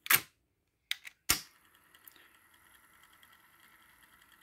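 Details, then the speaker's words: Pioneer CT-F900 cassette deck after replacing weak idler spring with a stronger cut-down one, original idler tire refitted: transport key clunks, then faint steady even whir of reels turning normally. "and it's working Like A Champion okay flawless so it wasn't the idler tire at all it was the spring that was the problem"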